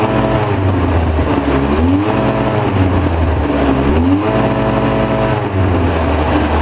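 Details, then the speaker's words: 2004 Polaris Sportsman 700 twin, choked 10-15%, Seafoam in the fuel, running about 10 minutes; it dies if choke is eased: surges and sags, spitting and sputtering, thick exhaust; rough running from a carburetor boot air leak. "Here it's spitting and sputtering."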